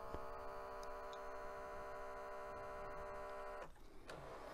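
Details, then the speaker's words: 1996 Mitsubishi HS-U760 S-VHS VCR, non-working thrift-store unit at power-on: steady high fixed-tone whir that cuts off; mechanism motor spinning freely, typically a missing or broken belt. "that annoying whirring sound did you hear it there at the beginning how did you miss it right typically that means there is a missing belt or a broken belt"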